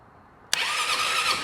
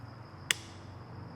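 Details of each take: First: Piaggio BV400 scooter that would not crank, starter motor jumped directly: spark snap, then a steady high whirring crank settling into an even churn; starter is fine, the starter relay clicks but does not connect. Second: Piaggio BV400 scooter, battery just over 12 V, starter button pressed: single sharp click, voltage dips, no cranking; starter relay gets power, immobilizer working; starter relay clicking, no crank.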